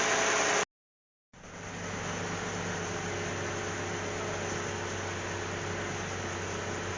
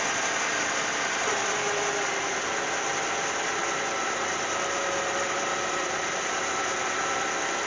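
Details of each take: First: Cadillac CTS 3.6 L after spark plug change for cylinder 1 misfire, heard at the tailpipe: soft, even hiss and hum with no pops; idling smoothly, far better than at first start. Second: Cadillac CTS 3.6 L just after spark plug change for cylinder 1 misfire: hissy engine roar with slightly uneven wavering note when first started; owner suspects oil on the plugs and low fuel pressure, then runs smoothly.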